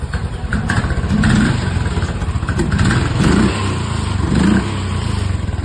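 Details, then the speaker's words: Royal Enfield Classic 500 BS4 fuel-injected single-cylinder after fuel pump replacement fixed a misfire from poor fuel supply: even idle thump, throttle blips pick up cleanly; problem solved. "ನೋಡಿ 100% solve ಆಗಿದೆ problem"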